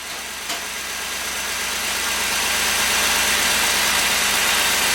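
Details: LS-swapped engine after the misfire fix, just cranked up, before warm-up: steady, even idle with a smooth hum and plenty of fan hiss, no stumble or skipped beats; miss gone, power steering may need fluid.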